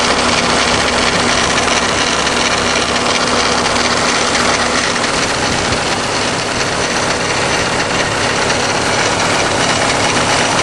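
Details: Subaru WRX at idle: harsh, gritty steady grinding, high and rough, from around the passenger-side timing belt cover area; cause unknown.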